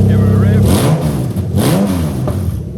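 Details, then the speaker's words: Toyota Chaser GX100 with a swapped 1JZ-GTE VVT-i on a new harness, revved just after start-up to test the drive-by-wire throttle. Pitch rises and falls smoothly through each blip with crisp response, so revving is normal. "Right, so let's go ahead and test the drive-by-wire."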